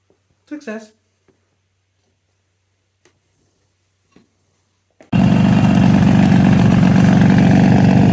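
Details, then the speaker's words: 1963 Ariel Arrow Super Sports 250cc two-stroke twin, a former non-runner just revived: quiet, then it fires and holds a fast even beat with a light loose-sounding rattle; source undetermined, loose clutch basket or alternator suggested. "developed a little bit of a Rattle and an oil leak don't think the rattled anything too major it feels like something loose"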